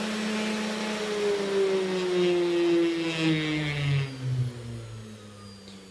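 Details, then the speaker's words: 500 W air-cooled ER11 CNC spindle switched off: a clean whine drops in pitch as it coasts down, with no grinding or rattle; healthy. "Vous pouvez voir que quand je vais l'arrêter, en fait il y a une petite diode verte au fond là. Tac. Elle s'arrête."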